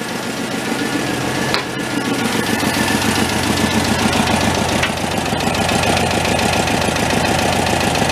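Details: Homemade tractor with a 1967 VW air-cooled engine and a cut-down truck transmission, leaking oil from the bottom: even, steady chuffing at a fast idle on choke, no knocks or misses, settling as it warms; normal idle.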